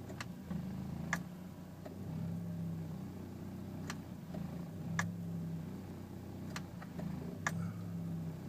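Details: 2001 BMW E46 sitting in drive at a stop, passenger window switch operated: uneven low idle with light ticks, rpm sags as electrical load comes on; rough idle, idle speed drop under electrical load.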